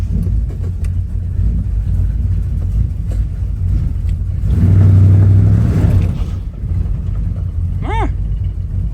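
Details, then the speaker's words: 1985 square body Chevy with swapped small-block 350: low deep idle rising into a smooth rev with no backfiring, sounds a little better; distributor makes a noisy lifter-like tick. "oh it sounds a little better that cap and rotor makes a lot of noise"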